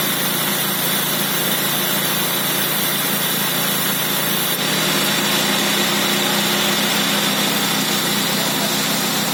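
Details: Nissan Sentra B14: fast, tinny rattle over a steady idle, shifting slightly partway through, from a dying Calsonic air-conditioning compressor.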